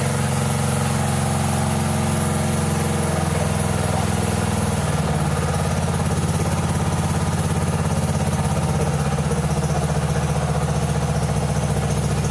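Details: 1997 Mastercraft (MTD) 38" lawn tractor, 12.5hp Briggs & Stratton single, parked outside for years, on choke from a hose fuel reservoir while low on oil: steady even idle throughout, no stumbles or surging; runs well.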